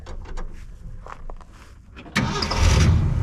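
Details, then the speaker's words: 1966 Ford F-250 V8 with dual exhaust and new valve stem seals, started on a known good battery after the weak one: quiet clicks, then catches at once into a strong even rumble, no smoke; normal start. "Yeah, works. Here's our dual exhaust. Sounds good, no smoke cuz we did the valve stem seal. Just a good running truck."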